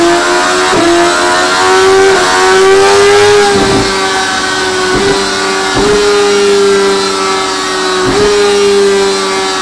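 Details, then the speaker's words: 2017 Suzuki GSX-R1000R with HM quickshifter: steady high drone with brief clean dips every second or so at each shift, no stumble; upper gears very smooth up and down, lower gears possibly still needing sensitivity tweaking. "there we go that sounds good sounds good upper gears very smooth yeah nice and smooth both up and down"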